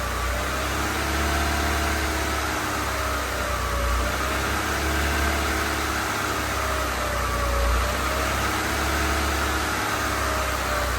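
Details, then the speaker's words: Honda EK hatch, D16Y7 freshly refreshed (head gasket, water pump, timing belt, seals), first start-up in neutral: steady idle hum with faint pitch wavering and a hissy wash, hunting slightly. Owner suspects burning off oil; irregular idle. "It runs though. Let's go. [Applause] That's a weird idle."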